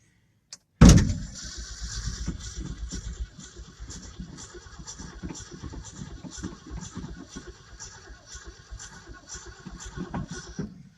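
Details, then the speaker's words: 1967 Ford F350: a clunk, then the starter turns the engine slowly at a regular plodding beat for about ten seconds without firing; the lights are not dim. Slow cranking, no start; the owner suspects a corroded negative ground cable, the battery, or the fuel pump. "that's what it was doing the other day it was cranking over like that and wasn't starting"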